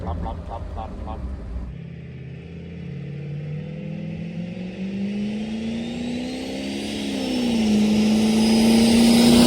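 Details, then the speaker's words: 1977 Winnebago Chieftain motorhome with turbocharged big-block 440 and 82mm turbo, tuned, accelerating on the road: engine note climbs smoothly under load with rising turbo whistle, no misses or knocks; healthy, reaches 60 quickly. "This This is starting to sound pretty good. I'll give you the wide screen. Ready? Oh yeah. Hear the turbo."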